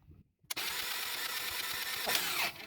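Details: Ferrari F355 warm engine cranking during compression test on cylinder 4 before engine-out belt service: steady even starter whirr without stumbles; reading about 171 psi, consistent across cylinders after carbon was burned off.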